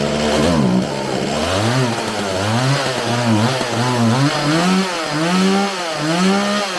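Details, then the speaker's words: Homelite 4620C 46cc two-stroke chainsaw after recoil starter fix, carburetor cleaning and new fuel lines, first run: revs rise and fall, stumbling and bogging as throttle comes off; throttle hesitation before carburetor adjustment. "all right it seems like it has a little bit of hesitation off the throttle so i'm gonna adjust this a little bit and see if i can't get any better"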